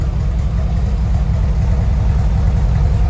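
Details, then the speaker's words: 1970 VW Westfalia air-cooled flat-four with new Weber 40 carburetors and a tightened belt, showing 50 psi oil pressure and 4 psi fuel pressure. Even, low chuffing idle with no knocks or ticks: healthy. "sounds really, really good. Those 40s are working really good."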